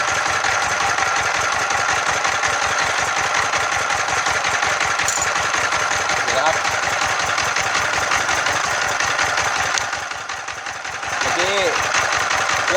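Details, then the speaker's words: Freshly rebuilt Yanmar TF115 11.5 hp single-cylinder diesel, new liner, piston rings and bearings, first start; thumps unevenly, sags then recovers; stumbling because the governor speed setting is not yet adjusted. "สะดุดถามว่าเกิดจากอะไรนะครับเราต้องตั้งตัวนี้นะครับผมยังไม่ได้ตั้งนะอันนี้เหมือนกับเร่งรถยนต์เรานะฮะต้องตั้งด้วยนะครับ"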